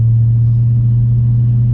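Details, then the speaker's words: Brother's 1994 Lexus LS400 with newly installed exhaust, running after shop work: smooth, steady low exhaust hum, no rasp, rattle or drone; normal running. "well the car's done thing sounds great"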